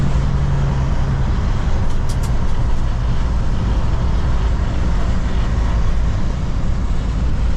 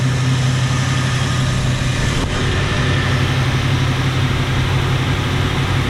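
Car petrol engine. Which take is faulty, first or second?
second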